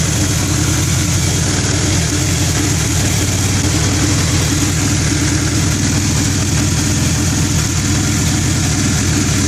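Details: 2000 Acura Integra misfiring at idle: loud, rough idle with an uneven, lumpy beat under the exhaust drone. Cause still unknown.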